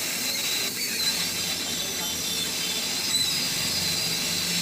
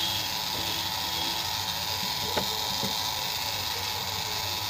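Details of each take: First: Sunshine 857DW+2 SMD rework station air pump, which was noisy and gave no air after 10 days, after opening and refitting: steady even rush of air at settings from about 5 or 6 up to 29, no rattle; normal air pump operation. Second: Sunshine 857DW+ SMD rework station, ten days old, cover open: loud harsh steady hiss with rough buzzing drone and weak airflow, can't blow a cloth even at setting 10; owner suspects the air pump motor is jammed.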